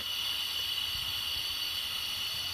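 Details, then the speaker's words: Car AC blowing hot air, system recharged with dye and running: steady high-pitched hiss of refrigerant leaking from the compressor, confirmed by soapy-water bubbles; compressor needs replacing. "it's the compressor that's hissing, it's leaking."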